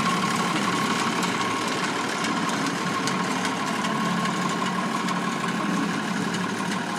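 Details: Vintage Ferguson tractor idling with a slightly uneven, lumpy beat over a rough clatter, as if one cylinder is not firing cleanly. Number one injector is suspected, not confirmed; the engine also shows wear, blowing out through the dipstick.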